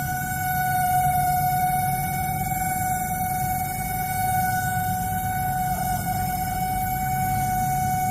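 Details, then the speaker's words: LG MS1911HE microwave oven fan motor running on the timer; a loud steady hum with a high pure tone, unchanging; the noise stopped after the motor was greased and oiled: fan motor noise from dry bearings. "इसका fan motor में आवाज़ कर रहा है। ये जो आवाज़ सुन रहे हैं फैन मोटर का"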